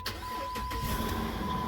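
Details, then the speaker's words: Jeep Grand Cherokee with no-crank no-start from wireless control module fault, after programming new keys: short crank catches quickly into steady idle with chime; clean first-try start. "now let's see if we can actually start the car which is the reason it came in in the first place uh oh i got ignition oh i got ignition here we go"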